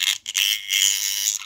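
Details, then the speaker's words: Homemade 3D-printed demagnetizer using a 1980s fish tank pump induction coil: high, steady electrical buzz in short bursts as the coil energizes, oscillating properly and working. "And as you can hear, the coil is working. It oscillates."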